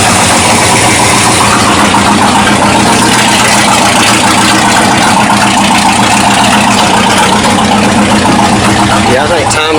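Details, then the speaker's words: 1979 Ford dentside truck V8 with new Holley carburetor: loud, loping idle with uneven beats about three or four a second; vacuum leak suspected then ruled out, timing issues suspected. "I am pretty sure we still have timing issues"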